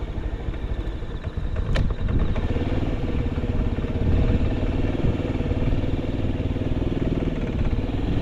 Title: 当時物★ホンダ★ズーマー キャブ車(AF58-1103)★動作確認動画！ エンジン異音無し！ 静かなエンジン音です！2024/09/30パーツyahoo出品予定！